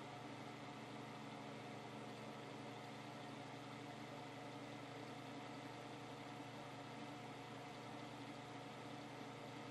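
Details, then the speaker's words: 1970s Hoover Knapp-Monarch automatic fin electric heater, fan on low to high: steady, even whir with a buzzy hum and no change in speed; the fan runs loud and rough. "so a is still pretty loud for the fan at least that's on low to too hi it makes quite a racket"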